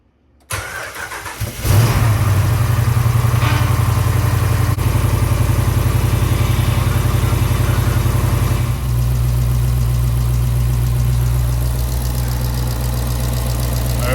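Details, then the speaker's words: Hemi V8-swapped Jeep JK, first start after replacing a defective new aftermarket power steering pump; system filled and wheels turned on jacks to bleed air. Cranks, catches and settles into a deep steady V8 idle with no pump whine or groan; steering pump sounds quieter and healthy. "Seems quieter, so I'm going to just continue turning these wheels back and forth for about 10-15 minutes. Make sure I get all the air out of this thing, and then we'll see what that looks like."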